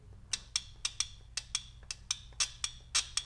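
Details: Single-wire shift solenoid from a 2005 AWD Toyota Matrix U340/U341-series automatic, tested with battery power, grounding through the transmission: sharp clean clicks, about a dozen in three seconds; solenoid actuating normally.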